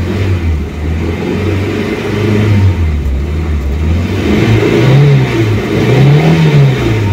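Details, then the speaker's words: 1989 Ford Pampa CHT, first cold start after carburetor kit replacement, choke being pushed in: engine climbs cleanly through blips with no stumble or flat spot, carburetor second stage opening properly. "ó agora eu vou tirar o afogador tá com um barulho bonito ó com a primeira partida"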